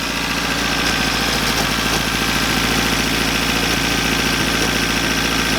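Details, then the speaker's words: First-gen Toyota 4Runner with a blown engine fuse and a possible bad head gasket, just fired. It idles with a slight stumble, no steam from the exhaust and a smell of bad fuel. A minor miss, cause unknown. "Yeah, I don't know what that missing. I may have been a miss. It smells kind of like bad fuel right now."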